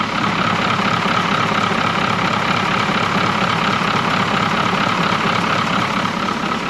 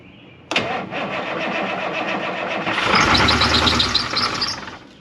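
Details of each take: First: 1981 International Harvester diesel snow plow truck, sat for years, alternator locked up, with water in it: steady, even diesel idle clattering about four beats a second with no misses or surging. Normal diesel idle. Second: 1981 International Harvester diesel snow plow truck, long sitting, first start: short crank, catches, then revs surge and hang high as the throttle pedal sticks to the floor.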